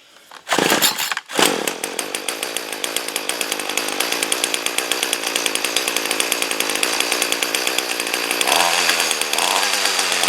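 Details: 2-cycle trimmer after replacing hard, brittle broken fuel line with new yellow synthetic line, started on choke after priming: fires after a couple of pulls, settles into crisp even buzz rising slightly as choke opens; running normally.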